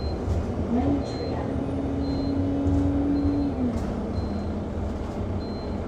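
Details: Go-Ahead London Enviro 200 MMC 10.9m bus SE310 YX69NNP on Route 364, recorded from inside while driving; faint high beep about once a second over engine and road rumble, persistent warning chime, cause unknown.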